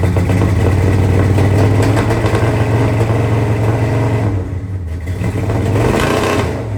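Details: 1970 Dodge Charger V8 idling a couple of minutes after the fuel pump went in, first run in at least 18 years: loud, lumpy idle with a slight misfire whose beat stumbles now and then; sounds pretty good otherwise.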